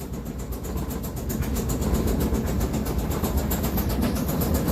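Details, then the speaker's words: Kenmore-type dryer: heavy, steady thump two or three times a second as the drum turns, because its two rubber drum support wheels have worn flat and out of round. "yeah the drum that spins is supported with two rubber wheels and those rubber wheels are what supports the weight and it makes it turn"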